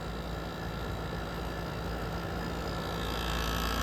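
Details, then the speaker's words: GE ASW05LKS1 window air conditioner, condenser extremely hot under high head pressure: heavy strained rotary compressor drone swelling in level; unit labored, possibly damaged by heat and constant summer use. "Listen to that compressor. That's probably the unhappiest rotary I've ever heard."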